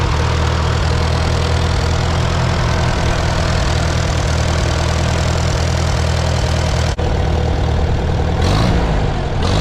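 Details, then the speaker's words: Farmall B tractor engine at steady, even low idle with no ticking after alternator bracket was moved up on its bolt to stop the fins ticking; rebuilt after alternator belt, radiator repair, governor work, gaskets and seals; normal idle. "i just had to move this bracket up a little on the bolt because these fins were ticking i think it'll be better now"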